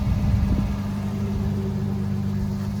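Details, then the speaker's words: 2015 Toyota Tacoma 4x4 V6, fleet-owned and maintained with fresh service; smooth even idle with steady low hum, no common exhaust manifold tick; normal idle. "as you can hear running does not have the common manifold tick or noise and all of its services would have been on time"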